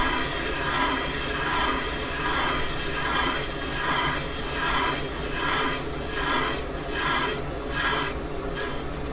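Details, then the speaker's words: Caterpillar D2 #5J1113 starting engine damaged main bearing bore being machined on the lathe: steady rhythmic scraping about every 0.8 seconds, thinning with an eighth of an inch left; light cut at end of boring pass. "we're just about through there's only about an eighth of an inch left we'll hear it when it stops cutting"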